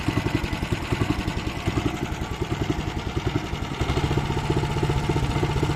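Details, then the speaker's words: Weima engine with hunting revs, quick uneven single-cylinder thumps drifting up and down instead of holding steady; carburetor suspected, possibly the speed governor; cracked fuel line found, carburetor cleaning planned. "Як ви зрозуміли що є поломка де будемо шукати оберти плавають скорше за все це карбюратор"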